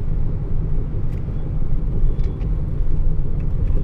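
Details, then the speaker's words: 2007 Ford F-150 V8 at about 200,000 miles, driving at 25–30 mph: deep steady droning hum that swells as weight shifts onto the driver side, suspected worn driver-side wheel bearing. "let's go test right and you can hear the humming noise already a little bit when you go at about 25 30 let's go a little bit more yeah"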